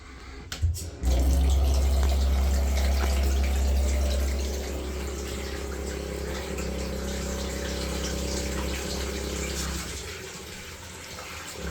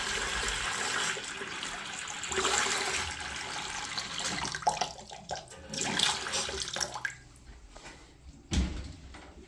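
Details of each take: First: The vibration stops every time I open the leaking tap. If you isolate the tap that you think is the problem and the issue stops, then it's more than likely the issue that you need to repair. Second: Tap after repair, with the valve seat smoothed so it closes properly, being tested for vibration; water rushes steadily with no hum or judder, then shuts off with a soft clunk; tap running normally.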